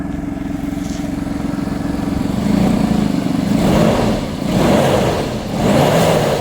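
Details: Audi A6 C5 2.7 biturbo engine: light rattle over the engine that swells with each throttle blip; owner asks what is rattling, source unknown. Engine rattle.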